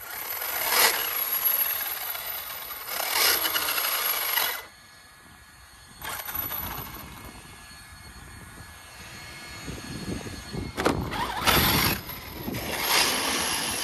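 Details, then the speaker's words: ARRMA Mojave EXB RC truck at a construction site: crunchy, gritty whirring in bursts each time it drives; bearings seem okay, driveline grinding source not pinned down. "Sounds a bit crunchy. Sounds a bit crunchy. Could be anything."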